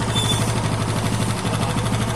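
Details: TVS Apache RTR 160 2V single-cylinder motorcycle engine at idle, with quick, even ticking about ten times a second that keeps pace with the engine ("tik tik" noise); the engine is being opened up, and the cause is not yet found.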